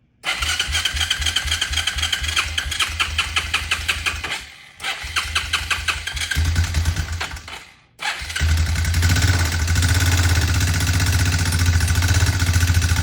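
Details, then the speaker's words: Marketplace motorcycle on first crank with fresh gas, oil, battery and air filter, smoking: rough start then fast light top-end clatter over a lumpy idle, not rod knock; owner hears valve clatter. "doesn't sound like rod knock sounds like something let's check this the fuel's on right now it sounds like that's a new Pet's no valve clatter or something yeah sounds like valve"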